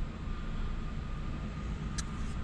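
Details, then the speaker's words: 2021 Chevrolet Beat/Spark that previously would not start; steady, even low hum with no misses, knocks or surging, engine totally stable with strong ignition, car ready: normal idle. "con fuerza suficiente este vehículo se siente muy bien totalmente estable la unidad con fuerza el encendido se oye perfectamente esta unidad Ya está lista"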